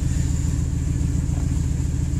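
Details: 1998 Ford F-150 5.4L Triton V8 idling after fixing a vacuum leak with new elbows and hose: deep, steady V8 burble with an even beat and no stumble or misfire; smooth, healthy idle.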